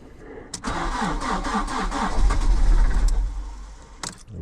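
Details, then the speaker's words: Fiat Panda 100hp Sport, first start after sitting two years, with new battery and alternator belt and a freed-up seized alternator; starter cranks about four times a second for 1.5 seconds, then catches and settles to idle; engine cranking and starting. "what do you reckon where' she go two years onst start hopefully the alternator will charge the"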